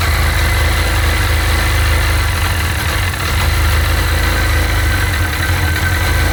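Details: Sea-Doo 951 DI two-stroke during custom rebuild troubleshooting, idling with low but steady air-injection pressure; steady low idle stumbling faintly now and then, no surge; rough idle, owner suspects the air pressure regulator.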